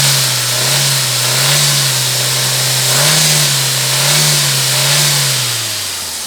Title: Engine noise I-20